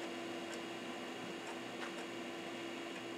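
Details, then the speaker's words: Amiga Chinon FB357A high-density floppy drive (DF0 from an A3000), shown in an A2000 while copying mod files; it still runs at the slow speed. A steady spin hum with soft, irregular head-step clicks. Normal floppy drive operation. "still runs at that slow speed I don't know if you can hear this thing chunking along it reminds me of the Amiga 1010 Drive"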